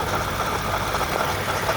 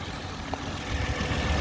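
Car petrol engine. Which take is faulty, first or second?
first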